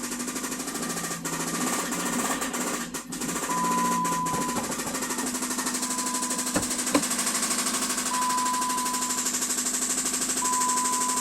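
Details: Jeep petrol engine running with a steady, hard knock about three times a second; connecting rod knock, suspected to come from cylinder number 1.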